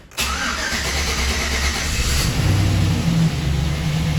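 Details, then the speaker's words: 2010 Chevrolet Silverado 1500 5.3L V8 first start after locked AFM lifter and damaged camshaft repair with AFM/DOD delete: quick crank, catches at once, firm even idle slightly high, no ticking or misses; normal. "check it out guys this thing is running and it's actually running really really smooth"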